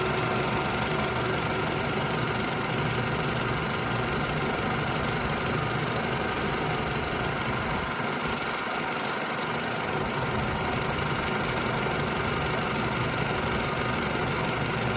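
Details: 2009 Toyota RAV4 petrol engine idling after a new upper timing chain guide fixed an earlier tapping noise: a steady, even hum with no clear tapping.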